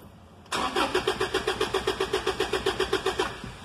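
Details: 2012 Toyota Hilux: the starter turns the engine over evenly at about four compression pulses a second, but it never fires or catches; a crank-no-start fault.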